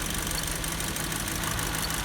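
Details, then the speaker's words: Nissan Tiida 1.8 16-valve at idle: uneven lope with a missing beat; cutting each cylinder in turn showed no change on cylinder 2, so the misfire is in the second cylinder. "então a falha está no 2º cilindro"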